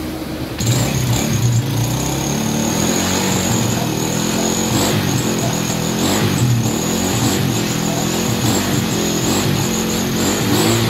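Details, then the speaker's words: Honda Wave 100, kick-started with no battery, after cleaning a carburetor left dirty for half a year: the engine revs steadily but stumbles now and then with uneven pops, a slight misfire. The carburetor air screw still needs adjusting. "Parang palyado ng konti ia-adjust pa."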